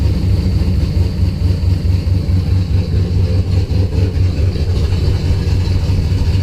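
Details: Engine after spark to coil and distributor restored by moving loom wiring; fuel pressure 50 after prime, over 60 during prime, running really rich and sneezing fuel; low, uneven loping idle about twice a second after failed start; rough idle.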